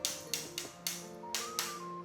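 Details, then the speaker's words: Tapping floor tiles one by one with a rattle hammer during a new-home handover defect check: six bright taps, some ringing duller and emptier than others; a hollow spot under the tile, marked for warranty repair. "Nah ini kopong ya. Suaranya beda pokoknya kalau yang kopong sama enggak."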